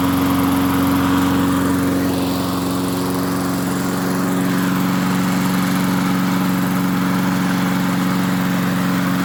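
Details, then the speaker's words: MTD 22-inch push mower, model 11-A084E029, after the spark plug wire was hooked up: a steady, even drone with a firm low hum and no misses or surging. Owner notes slight vibration, possibly a bent crankshaft judging by the blade. "all well it's amazing what happens when you hook a spark plug up and it sounds a little bit better now"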